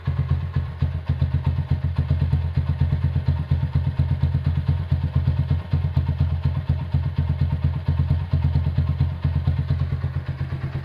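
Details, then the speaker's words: 1977 Honda CB100 K3 after engine rebuild: low, even idle with a steady beat and a quiet top end, no misses; a noise from the middle of the engine is suspected to be crankshaft or clutch. Normal idle. "Sekarang langsam bisa kecil ya. Head juga suaranya halus."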